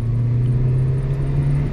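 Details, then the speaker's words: Maruti Wagon R 4-cylinder on petrol, after fixing pickup problem (previously wouldn't pass 60 even in 5th): accelerating through 2nd and 3rd past 60 with a smooth steady drone, no misses or hesitation; normal acceleration. "ये देखो दूसरा, और ये तीसरा, ये 60 से भी ज़्यादा यूं ही कूद गई।"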